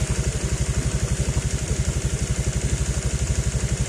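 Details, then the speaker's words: Honda Vario 125 LED scooter after replacing the faulty CKP sensor that caused stalling and no-start: steady, even idle thump about four beats a second with no stumbles or dropouts; restarted and idling smoothly. "Oke, [musik] si motor udah nyala lagi ya, sudah normal kembali seperti semula."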